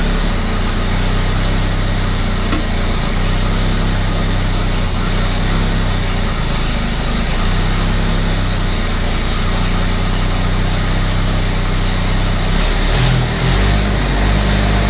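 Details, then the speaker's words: Abandoned Australian Ford Falcon ute six-cylinder. Uneven idle wavering and stumbling, sounding better from the rear than the front. Owner suspects lean misfire from a blocked idle circuit, not confirmed. Rough idle. "I don't think that's sticking a valve. I actually think it's lean misfire. So down the back it sounds a lot better than it does up the front. I'd say we just got a dirty idle circuit."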